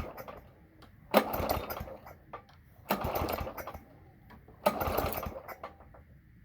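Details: Toro lawn mower cold start attempt after priming; three pull-cord cranks about two seconds apart, each spinning without catching; engine turns over but won't fire, owner unsure whether flooding or spark; fails to start.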